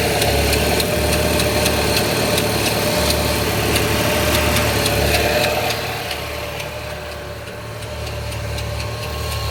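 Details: Z20NET petrol engine idle: sharp, light irregular ticking about three to four a second, traced to the secondary timing chain tensioner; chains, guides and tensioners should be replaced.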